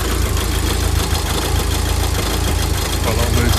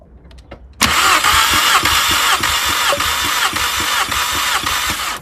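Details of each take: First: Mk5 VW Golf GTI, Cat N, misfire on cylinder 3, garage suspected split piston or ring, no engine light yet: warm idle loud and lumpy with uneven low thumping; rough idle, injector suspected, not confirmed. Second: Mk5 VW Golf GTI with a cylinder 3 misfire, compression test: cylinder 4 cranks at about 205 psi with steady, even beats; all cylinders range 185–205, ruling out mechanical faults, electrical fault suspected.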